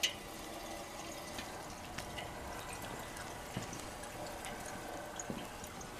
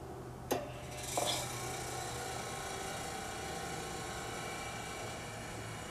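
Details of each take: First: General Electric CK26 Monitor Top refrigerator, compressor running: soft bubbling, trickling, faint hiss and drips as SO2 refrigerant mixed with oil boils and vents from the float chamber discharge through a disposal hose, evacuating the compressor dome. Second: General Electric CK26 Monitor Top refrigerator cooling unit, restored 20 years ago, now not cooling: click and brief clatter at switch-on, then quiet, even low hum; compressor starts normally before pressure builds; excess SO2 with blocked float suspected.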